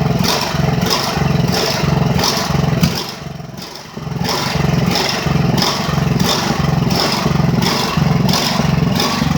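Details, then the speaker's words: Ridgid generator with Honda GX390 engine, restarted after repairs and months unused. It surges up and down about twice a second with a brief deep sag near four seconds; governor/engine speed hunting, not running as it should. "parce que là le bruit qu'elle fait c'est pas très bon. Elle est pas supposé tourner comme ça mais au moins elle redémarre."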